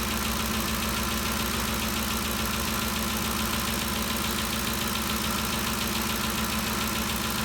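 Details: 2013 Ford Expedition after valvetrain repair for loud ticking (suspected cam phaser or timing chain): even, smooth idle with steady hum and no top-end tapping; noise gone, valvetrain quiet and healthy.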